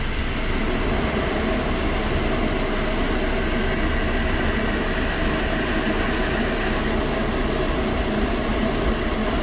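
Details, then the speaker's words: Honda car lifted on a stand, wheel spun from inside with the camera at the wheel: steady, even low rumble and growl; noise comes from a worn wheel bearing, said to wear out over time around 100,000 km. "अब यह जो इस चीज यह बता देता हूं यह नोटिस आ रही है इसके व्हील बेयरिंग से"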